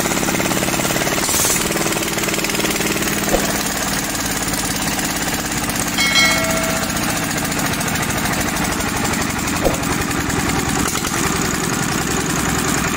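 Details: Overhauled Daedong single-cylinder diesel that was hard starting, test-run after the injection pump and injector were serviced. Crisp, regular single-cylinder firing beat at steady speed with no misses; the engine runs cleanly.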